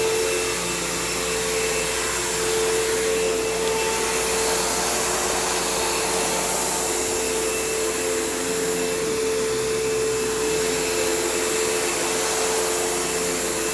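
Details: Kenmore PowerPath System vacuum on living-room carpet, just acquired: loud steady roar with a wavering tone near 450 Hz, a rough hum underneath and a long wind-down. Worn motor; the brush roll needs work and the slack belt needs changing.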